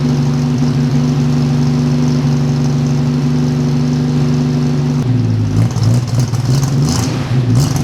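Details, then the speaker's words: 1946 Studebaker M5 pickup with AMC 258 straight six, cold spring start at 70°F: runs rough and uneven, stumbling as revs rise; carburetor is off and stumbly, cold-blooded, flat spot. "You can see, like I said, that carburetor's off stumbly."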